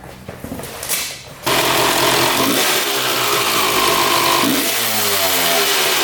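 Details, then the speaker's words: 1995 Honda CR250 two-stroke: loud raspy revving with uneven, sagging pickup on throttle; horrible bog caused by power valves not opening, shaft not rotating its 90° as throttle is applied. "not moving at all that vertical line on the shaft there is supposed to go horizontal as you hit the throttle and those power valves are supposed to open they're not opening at all"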